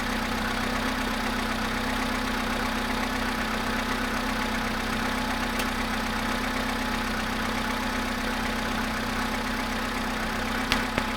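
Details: VW Polo sedan cold start at 0.5 °C after sitting 13 hours: cold idle with steady hum and faint, fairly regular tapping, roughly four a second; engine knock, cause unknown.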